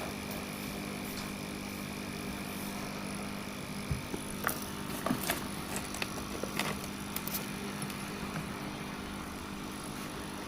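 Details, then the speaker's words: Sunsun CT-202 aquarium air pump running: a faint, steady low hum under a few handling clicks, about 6–7 dB above room noise. It is normal but not a silent pump; the hum stays audible. "यह silent pump नहीं है अगर आप इसे लगाएंगे तो एक हम की आवाज आती रहेगी"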